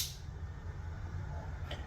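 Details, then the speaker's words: Holden HQ one-tonner with a blown 414ci Dart small-block Chevy, accessory ignition on before its first start-up: the electric water pump gives a quiet, steady low hum with no knocks or rattles, running normally. "yep I can hear it hear the water pump so with the water pump on that will allow us to turn the fuel pump on"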